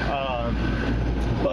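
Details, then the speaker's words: Residential air conditioner running after clearing a kinked condensate drain tube: steady low hum throughout, no rattles, squeals or surging; normal running. "Alright, as you can see, the air conditioner is running. You can hear it, I'm sure."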